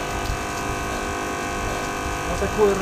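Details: Vibration water pump (Malysh type) after adjusting piston gap with washers, removing a 1 mm washer: even, steady mains buzz, no rattle or stumble; now pumping properly, previously hummed without pumping.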